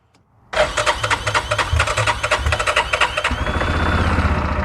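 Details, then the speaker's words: Yamaha Rhino side-by-side with 1942 Jeep GPW kit, possibly sat about 5 years, fuel squeezed into carburetor bowl, choke pulled: brief crank, catches and runs fast and lumpy then settles to high choke idle; choke off, old fuel running. "Sounds good. Choke off. We're moving fuel."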